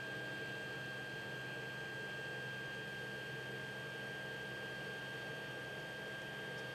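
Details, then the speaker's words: 3D printer after fitting stepper dampener to Y axis: soft steady hum with thin high whine, idle about 24–26 dB, around 30 dB with fans on; much quieter Y axis, smooth, no knocking. "sweat idol we're hovering right around 24 to 26 now the fans turned on its hovering right around 30"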